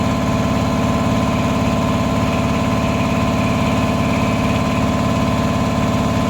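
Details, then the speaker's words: Repaired 400V V-twin air compressor, about ten years old and lightly used, formerly not making pressure: steady even pumping about two beats a second with smooth motor hum, no knock or hiss, reaching 120–140 psi; repair successful. "okay we're getting 140 psi now it's so pressure especially the tank like that well it's working I think we're calling out of success happy days"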